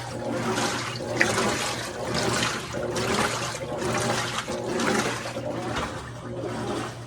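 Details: GE top-load washer GTW335ASN0WW after a stripped agitator was broken off and the gearcase splines found intact: water sloshes back and forth about once a second, steady, with no grinding or slipping; normal agitation.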